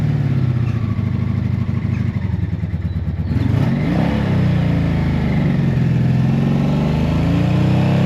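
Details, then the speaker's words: Four-cylinder motorcycle woken after storage. Uneven, stumbling exhaust with missing beats instead of a smooth note as it revs and settles; not running on all four cylinders. Owner suspects the filter under the seat and will check plug caps. "All right. So, that is not running on four cylinders."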